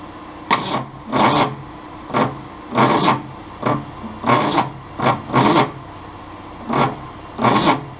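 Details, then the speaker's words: 1966 Ford Mustang 200 cubic-inch inline six, cranked after penetrating oil in the cylinders with spark plugs in hand-tight: slow, uneven cranking in heavy bursts about once a second, dragging hard against compression. Labored cranking. "it just really struggles against compression probably gonna take a couple out see what that does"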